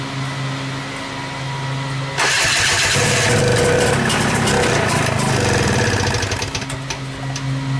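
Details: 1972 Ski-Doo Rotax 340 two-stroke fitted in a Tomberlin CrossFire go-kart: quick crank, then it catches at once and settles into a crisp, steady buzzing idle with no misfires.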